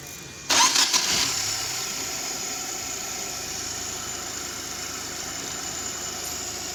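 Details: 2019 United Bravo that had a long-cranking no-start, after an ECM repair: a short crank catches at once and settles to an even, steady idle with no misses or knocks.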